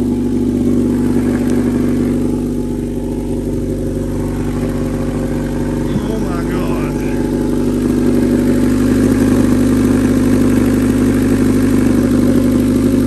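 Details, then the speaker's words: Honda Civic test run after transmission reinstall, oxygen sensor removed: loud raspy exhaust drone with a harsh edge following the revs, exhaust gas escaping through the open O2 sensor port. "I need to put that O2 sensor on it doesn't sound cool"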